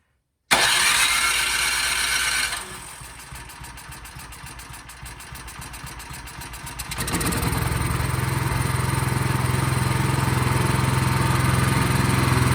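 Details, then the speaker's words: Craftsman snowblower single-cylinder engine, partially reassembled, gas on and choke on: cranks, catches, dips briefly, then settles into steady even running that holds speed; runs well. "All right, sounds awesome."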